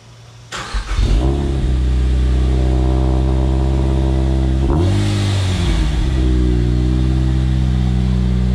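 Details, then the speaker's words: 2013 Kraftwerks-supercharged Miata, first start after a Flying Miata mid-pipe install replacing a clogged catalytic converter: catches, settles to a deep steady idle, one clean rev blip; the exhaust now flows freely. "Before the catalytic converter was clogged, but now we definitely hear the sound."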